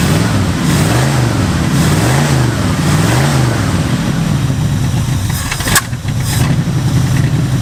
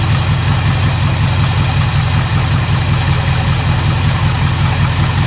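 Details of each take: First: 1967 Mustang barn find V8, unmoved over 30 years, being carburettor-tuned with both idle screws fully closed yet still idling: low, lumpy idle that wavers and sags; running rich because the bad power valve diaphragm leaks fuel from the bowl into the engine. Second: 1967 Mustang barn find after new power valves were fitted and carburettor orifices cleaned: deep, steady burble with an even beat, no misses or hunting; idles perfectly, though the source of extra fuel is still unknown.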